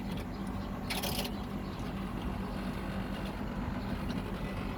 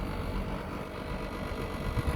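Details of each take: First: Outdoor AC condenser unit running after front motor replaced (post-wash fault, blinking light): steady compressor hum with fast buzzing chatter from the outer housing frame vibrating, not the unit itself; shifting it stops the noise. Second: Air conditioner outdoor condensing unit running normally after a replacement indoor fan motor was fitted (unit had failed to start with 3 blinking lights after cleaning); steady low hum and fan rush, extra noise was the vibrating outer frame, cured by repositioning.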